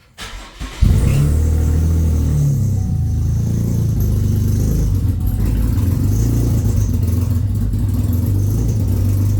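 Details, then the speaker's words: Sixth-gen Chevy Camaro, first start after an engine rebuild, unrun for about a year, after reconnecting a missing extra ground: catches after a short crank into a loud, uneven, lumpy idle, running rough, then improves; slight tick remains. "sounds like crap right now but it'll be all right"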